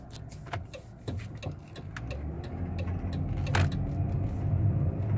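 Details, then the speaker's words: 2018 Dodge Grand Caravan SE Plus wheelchair van, 3.6-litre V6, 36,000 miles, highway test drive: steady low road drone building smoothly with speed, no clunks, flare or slipping; drives straight and transmission shifts normally. "so our cruise banned runs and drives great straight down the road shifts like it should"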